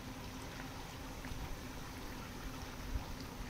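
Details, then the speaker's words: Chinese bait boat fitted with new thruster nozzles, running at speed 3 in water with many leaves: faint steady low hum under splashing water, noticeably quieter, no rattle or grind; normal thruster running. "Franchement, je suis en vitesse 3, il est carrément plus discret."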